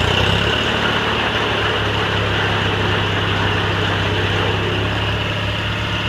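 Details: Cub Cadet 782 garden tractor with rebuilt 42-inch snowblower, started after sitting a couple days: steady even low idle, smooth unbroken beat, no knocks or misses; engine healthy.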